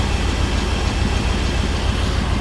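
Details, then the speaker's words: Duramax diesel truck that had been dying, charging at 14.5 V: steady, even low rumble idling on its own with no misses, knocks or surging; engine sounds healthy. "everything sounds good the truck running on its own"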